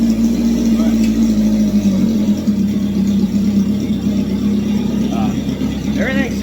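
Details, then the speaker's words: Home-built "Frankenstein" off-road sand car, fired up with its fuel pump kicking on: a loud, raw exhaust drone at a constant, even pace with no knocks or misfires. The engine runs really well but is very noisy. "actually runs really really well so far no all right but it is noisy that's right"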